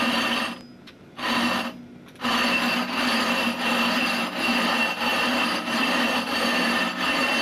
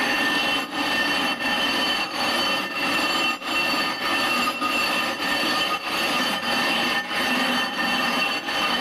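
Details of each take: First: Rough grinding of a 20-inch glass telescope mirror: rhythmic gritty strokes about once a second, sound softening from a harsh grind to a dull murmur as the abrasive wears to a finer grain and stops cutting the glass. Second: Rough grinding a 20-inch telescope mirror with #10 abrasive, pressing down as hard as possible early for maximum cutting: harsh, gritty back-and-forth scraping strokes at about 95 a minute.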